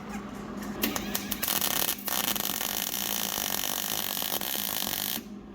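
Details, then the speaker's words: Hobart Handler 140 MIG weld with solid wire and shielding gas, polarity switched for gas, on a new welder. A steady, even frying crackle like bacon for a few seconds, with no popping or spatter bursts. A good gas MIG arc, judged as good as their Miller. "that sounded really nice. Dang. Not bad, huh? That's just as good as the Miller we got."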